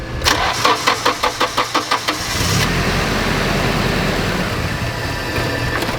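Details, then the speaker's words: Nissan 240SX (S13) street car with fueling issue, awaiting fuel pressure regulator: starter cranks in even pulses about three per second for two seconds before catching, then rough idle; hard start, owner suspects leaky injector draining rail into intake. "that was a really weird problem gotta be a leaky fuel injectors right I feel like that's I mean that I feel like that's what it has to be has to be a leaky injector because it's just draining all the fuel from fuel rail into the intake runner while it's sitting there"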